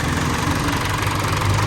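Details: Isuzu 4JK1 diesel before rebuild: idle with heavy uneven knocking clatter under the rumble; stuck, dead piston rings, engine pulled for new fit.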